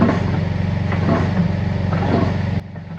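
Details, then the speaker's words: Vintage Howard V-twin engine running not happily: low, heavy chugging with a loose, uneven clatter on each turn, then it cuts out. Worn pistons, gudgeon pin bearings or big end bearings are suspected, most likely the big end. "So I'm skipping the noise. Is either the pistons are worn out, or the gudgeon pin bearings are worn out, or the big end bearings are worn out. It sort of sounds like big end to me."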